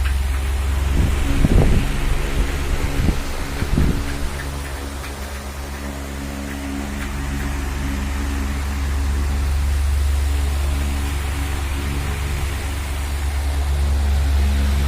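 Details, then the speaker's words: Astron electric fan that had dried out of oil, after oiling and reassembly, run on speed 1: a steady, even low hum after a few bumps, no rattle or grinding; quiet and smooth, like new. "Bali, tahimik na po siya, kapatid. Parang bago. Smooth na smooth yung takbo niya."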